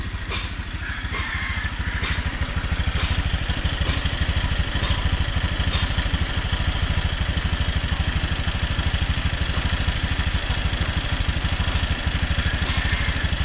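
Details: New Honda Click 150i scooter at 300 km on the odometer: light, quick ticking over a steady single-cylinder idle, keeping time with the engine; top-end tick, cause unknown.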